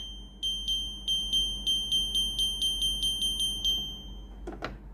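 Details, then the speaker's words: Philips AC1215 air purifier: about a dozen sharp high beeps, roughly four a second, then handling noise; unit alarms and buttons lock because the magnetic cover sensor reads open when its magnet is removed. "Khi tôi lấy nam châm ra, một lúc sau màn hình sẽ tắt. Có, những nút này không thể nhấn được. Đó là một âm thanh lớn."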